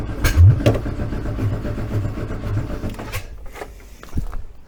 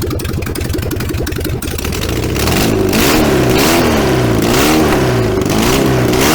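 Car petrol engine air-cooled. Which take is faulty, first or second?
first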